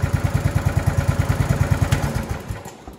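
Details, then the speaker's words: 26-year-old lawn tractor, Briggs and Stratton 15.5hp single-cylinder with Walbro carburetor, after carburetor needle valve and seat repair for fuel in oil: even thump about eight beats a second, steady; running smoothly. "pretty good for a 26 year old machine"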